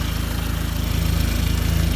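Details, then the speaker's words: 2004 Dodge Neon SRT-4 idling with a steady, even low putter and no misses or knocks after a crank-no-start; the corroded, underpowered starter wiring was bypassed with an auxiliary power wire from battery to starter and it started right up. "i ran an auxiliary power wire directly from the battery to the starter and it started right up"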